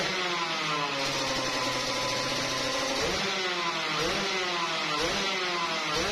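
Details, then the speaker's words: Yamaha RX King two-stroke after work on a rattling 'kletrek' noise: crisp buzz rising and falling smoothly with the throttle, with no rattle or knock underneath; engine now runs smooth like stock. "untuk masalah bunyi itu dia udah agak apa ya bukan udah agak halusnya Emang standar lah gitu ya untuk dari mesin itu udah halus lah gitu ya"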